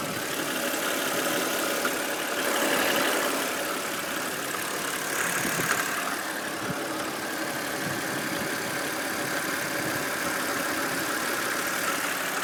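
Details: Steady idle of a BMW N52B25 inline-six with a faint, fairly quick tapping about four times a second; engine knock at idle, source not yet identified.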